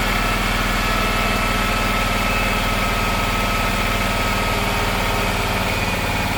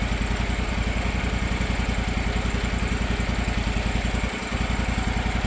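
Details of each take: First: Circa-2006 Gravely 260Z mower with a Kawasaki engine, just started with a new aftermarket carburetor: steady, fast, even pulsing with no hunting. The idle is too high because the unlocked idle screw had vibrated all the way in. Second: Circa-2006 Gravely 260Z mower with a Kawasaki FD750D engine, after a replacement aftermarket carburetor and the idle screw reset and locked, not fully warmed up: even putter at about 3.5 beats a second. Smooth idle, surging gone.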